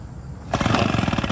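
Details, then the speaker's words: Small engine running with its air filter replaced by cigarettes through a baby bottle, second try with 8 more holes and cigarettes: catches but runs choppy and pulsing, never settling to a smooth idle, starved of air by the restricted intake. "Still not happy. Nope. Still not happy."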